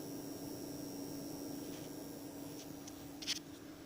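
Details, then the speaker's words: Anenji ANJ-4000-24V inverter: steady low hum, thin high whine, grainy crackle with sharp snaps, seemingly near two small transformers; crackle stops when touching the battery; owner suspects grounding, unconfirmed. "Так саме цікаве Ось він тріщить Я беру торкаюся акумулятора і тріск пропад"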